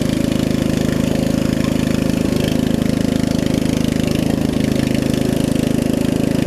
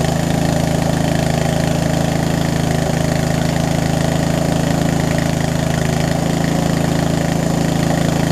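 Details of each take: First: Murray riding mower with a 16.5 hp Briggs engine after a new carburetor, new fuel lines and a valve adjustment, with a slight exhaust leak: steady, even single-cylinder thump with no misses or knocks that idles down very low; normal running. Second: Murray widebody riding mower, run after sitting a few years, started on choke: small single thumping at about four beats a second, uneven and lumpy; owner suspects too little fuel through the line and a worn carb, possibly a leaking needle and seat.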